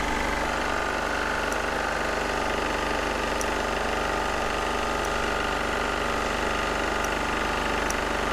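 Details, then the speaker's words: Onan MEP-016B military 3 kW single-cylinder diesel generator, revived, rolled outside and started to warm up: steady, even diesel chug with no misses or knocks at constant speed; starts quickly, normal idle. "we're just gonna start it up real quick and let it run and warm up so see how quick it starts good"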